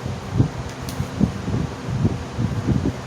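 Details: Wizard 6JC3020 box fan after cleaning, servicing and oiling the bearings, running on high: steady low whoosh of air with wind buffeting the mic, no rattle or grind; runs smoothly.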